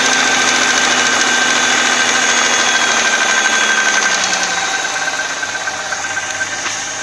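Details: Audi A6 C4 2.6 V6 (ABC engine) at cold idle: a steady metallic knock of about three per second, a busy hard tapping over the engine note. The oil was changed with no change, and the cause is unclear.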